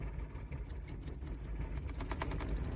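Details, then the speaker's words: 1990 Toyota 4Runner 22RE, about 250K miles, cold, pulled up the driveway: lumpy, uneven low chugging with loping beats and no steady rhythm, running on a couple of cylinders and stalling; cause unconfirmed. "that ain't good Jesus oh we're moving man I don't even know if we have three cylinders"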